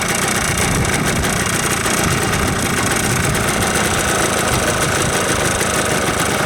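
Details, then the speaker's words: Yamaha Blaster two-stroke after a top-end rebuild, started cold with some choke, fuel mixed at about 32:1: a steady, even, crisp buzzing idle with no stumbling and barely any smoke; normal idle. "so it sounds pretty good I'm un sure if you can hear me but it sounds good she idles uh no smoking"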